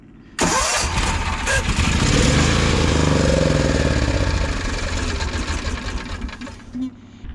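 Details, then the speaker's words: RV bus generator on an electric fuel pump rated 3–7 psi: catches and runs a few seconds with uneven hunting beat, then sags and dies; stalling from too-low fuel pressure. "this particular pump running right now is a three pit three to seven psi and that one is a one and a half to three and it wouldn't run on the small one"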